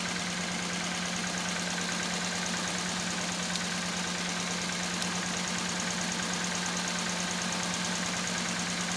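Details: Toyota Corolla EFI engine misfiring at idle: a continuous drone with an irregular, slightly choppy pulse a couple of times a second; idle not smooth.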